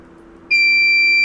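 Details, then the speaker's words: CP Plus DVR with a hard disk installed but not yet formatted: sudden steady high-pitched beep holding without a break. No-disk warning beep. "ये जो beep की आवाज आ रही है यह no disc होने के वजह से ही आ रही है।"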